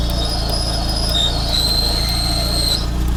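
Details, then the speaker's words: Manual car, 112,000 km, idling: steady high whistle appears as clutch pedal is pressed, quiet when released; clutch squeal, owner suspects release bearing. "А сейчас засвистел уже сцепление Ну по ходу дела выжимной подшипник"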